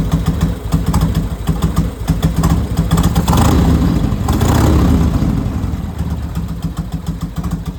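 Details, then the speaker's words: Harley chopper V-twin after a full rebuild and repaint: catches and settles into a lumpy, loping idle with a couple of throttle blips between; starts and runs fine. "I was starting to think it would never actually get back together and run again, but here it is."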